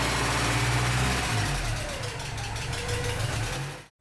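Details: 1986 Porsche 944 Turbo (951), after sitting over a year with a fuel-related no-start, runs steady and even with no misfire or knock, then switches off cleanly after a blown fuse 41 was replaced; normal start and run.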